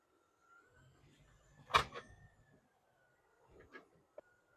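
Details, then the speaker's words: Mercedes W212 E550 4Matic sedan with Airmatic, front suspension driven slowly over rough ground, heard up close: low rumble, then a sharp metallic clunk and smaller knocks. Something is loose; the thrust arm bushing was suspected first. "you know when you go over a rough ground you can hear that CLK clunk it's not just movement but it's actually a noise that sounds like"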